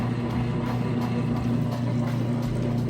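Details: Whirlpool washer moving out of wash cycle, draining full tub: steady low pump hum with water rushing through, even and unbroken; drain pump emptying the tub normally.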